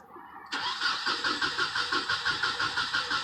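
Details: 1996/1997 Nissan Altima with crank-no-start after a fill-up. The starter cranks steadily at about three beats a second but never catches. Spark is present from the igniter and the distributor cap is new, so the fault was traced to a bad distributor rotor.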